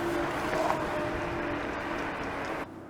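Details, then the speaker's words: Cunfon RZ1000 electric scooter, dual 1200 W motors, riding on road: over road and motor hum a brief thin squeal rises about half a second and fades; front/rear disc brakes squeak now and again. "It has fantastic disc brakes, both front and rear. The only little thing is that, as you can hear, the brakes are squeaking now and again."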